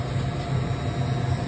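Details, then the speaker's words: Stoelting custard cold well that is only half freezing, running on the custard setting: loud, steady low buzz from the refrigeration solenoid valve chattering hard; the R290 compressor draws only 3 amps and the discharge line isn't warm. "I definitely hear the buzzing. Is that a solenoid? Oh, it is. Solenoid buzzing like crazy."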